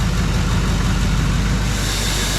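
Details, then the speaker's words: Freshly rebuilt Duramax diesel in a 2012 dually with a new S&S CP3 pump, just after first start, turbo not yet fitted: steady, even low rumble with smooth diesel clatter and no misses or knocks; it sounds good and makes oil pressure. "all right so it starts sounds good makes oil pressure um yeah pretty pretty excited"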